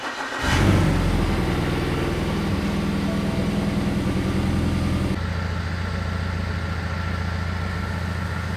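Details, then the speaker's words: BMW E92 320i with freshly rebuilt engine; starts into uneven stumbling idle with loping beat; misfire returns about 5 minutes after replacing two spark plugs, codes followed plugs, oily plugs, smoking, excess crankcase suction. Cause not confirmed. "then I replaced the two spark plugs and it helped for maybe 5 minutes and then the misfire comes"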